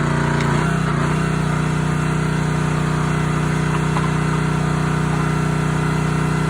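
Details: Honda GX160 SplitFire wood splitter after carb clean and oil change for bogging when splitting; steady low drone holds pitch under splitting load without hunting or surging, running healthy.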